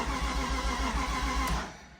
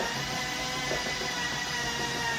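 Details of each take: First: Flood-submerged 2006 BMW E46 M3, first start attempt after replacing the oil pan and a seized starter: steady cranking at about four pulses per second with a couple of brief catches, then it dies. It fires but won't keep running. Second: Flood-damaged 2006 BMW E46 M3 after new oil pan and replaced frozen starter, spark plugs removed: steady whirring crank, slightly slow from low battery, even, no knocks or scraping; engine spins freely.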